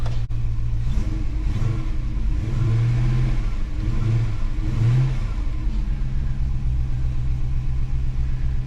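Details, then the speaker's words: Holden HK V8 after new valley fitted, idle set high, warming up: uneven, lumpy, hunting idle with throttle blips, rougher than before; owner suspects air leak around improvised carburettor gasket sealed with goop on spread board, not confirmed. "yeah she certainly sounds a bit rough rougher than she did well it just sounds different you know it could be um uh air leaking around that gasket that i used on the carburetor"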